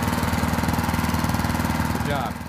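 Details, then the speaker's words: Leaf vacuum's small single-cylinder engine on first start after carburetor replacement (old one gunked, gaskets broken) and new fuel-intake O-ring: fires in an even rapid chug at steady idle, then shuts down cleanly; repair a success, normal running. "so we'll see if she fires up there we go was a success she is"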